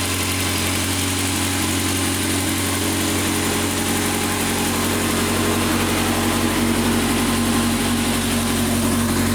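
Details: 2006 Honda CBR600 F4i motorcycle at idle: busy engine note with a light, quick ticking riding over it; cause of the tick unknown.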